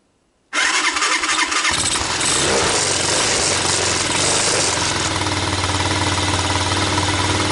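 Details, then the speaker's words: Cranks, catches within a second, and settles into a steady, even putter at idle with choke on, a cheap Tao Tao ATA200D ATV bought non-running and revived on a budget; runs fine. "Now that's nice. Well, it's idling."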